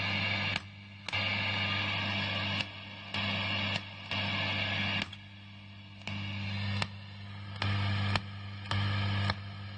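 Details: Amp switching master volume from 1 to 2, amp on with light sometimes flashing: sharp pop at each switch over a steady low hum, cause unknown; popping when switching channels.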